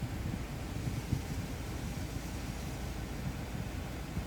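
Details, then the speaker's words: 2008 Chevrolet Suburban at idle after a cylinder 4 misfire was fixed. It had been shaking hard, especially with the AC on. Now a low, even rumble with no stumbles; smooth idle, misfire resolved. "ya no tiembla quiere decir que el problema si se resolvió éste ya no tenemos el problema del miss fire"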